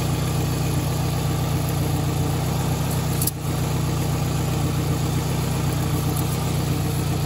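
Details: 2004 Toyota Camry after the transmission swap, idling in park before the fluid check, fluid found low: steady even low rumble with no knocks or misses, just one brief dip; healthy idle.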